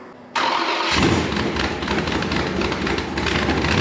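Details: Mopar 5.9 (360) Magnum V8 in a project off-road buggy, first start in a long time after fuel system test: brief crank, then catches and settles into a steady, even rumble with no misses or knocks; normal engine start.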